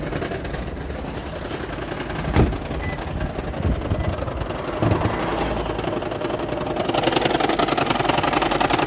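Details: 2010 Toyota Prius hybrid, customer recording while driving: uneven, lumpy running with a shaking rattle, heavy misfire and near-stalling, with no fault codes stored. The cause was found to be a faulty EGR valve, which was fixed.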